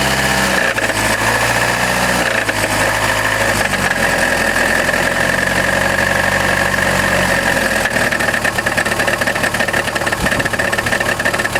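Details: Chrysler Grand Voyager 2.8 CRD diesel idling with busy metallic rattle; not accessory belt or power steering, persisted after balance shaft removal; cause was a badly cracked flexplate between crank and torque converter in the bell housing.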